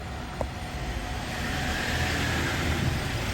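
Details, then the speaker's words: Jeep Wrangler pulling up: thin, steady high-pitched squeal over engine and road rumble; source not identified. "you guys hear that high-pitched squeal terrible i just had to film that really quickly"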